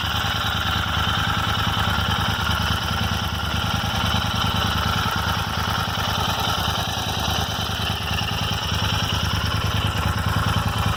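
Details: Royal Enfield Interceptor 650 twin at steady idle: a random light tick like a clock's second hand over the thump, from the left rocker cover area. The dealer could not diagnose or fix it; the intermittent ticking's cause is unknown.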